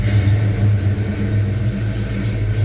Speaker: so I don't know go figure but uh I'm going to let it warm up for just a minute guys and